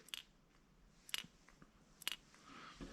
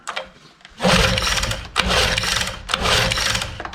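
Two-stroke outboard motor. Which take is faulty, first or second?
second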